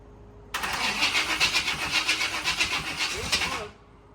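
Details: Newly bought C4 Corvette, fuel pump on, a little gas while cranking: steady starter cranking about four beats a second, never catching, then stops; cranks but won't start.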